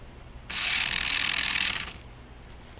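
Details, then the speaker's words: 1994 Lionel RS3 Happy Holidays (6-18837) motor after cleaning and reassembly, no extra lubrication, run upside down on an old 9-volt battery: smooth, high, even whir with no scraping or stutter; good power, running well. "Spinner the other way for you. Yeah, it's pretty good power. So now this one's running so good."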